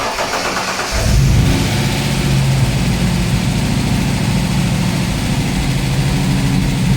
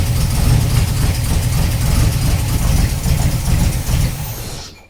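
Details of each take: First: TVR 290 S on MS2 with Ford TFI black CCD module, after months of setup: catches on first crank and settles to a steady, even idle with no misses or stumbles; starts well, healthy running. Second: TVR 290 S first start on MS2 with Ford TFI black CCD module, distributor-triggered ignition: lumpy, uneven idle stumbling about three times a second; one cylinder dropping out, running on three.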